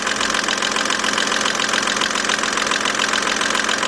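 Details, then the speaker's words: 2007 BMW 328xi petrol engine idling, close up: steady light tapping from the top, about three to four ticks a second, loud at first start; lifters suspected, not confirmed. "What we're hearing right now sounds like a little tapping coming from the top. Gotta find out whether it's the lifters or something."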